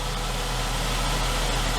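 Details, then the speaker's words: 2003 Saab 9-3 convertible, first start after six months in storage, with new cabin and engine air filters: it starts quickly and uneventfully, then holds a steady, even idle with no knocks or misses. "well that was quick uneventful that's how she usually starts up every year"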